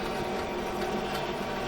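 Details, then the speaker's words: Bing Crosby Research Foundation Junior Juke jukebox being restored, first power-up with volume low: a constant harsh rasping roar from the mechanism, loud enough to hear the record above it and drown out the sound; cause unknown. "oh my gosh listen to this thing I can hear the record above it"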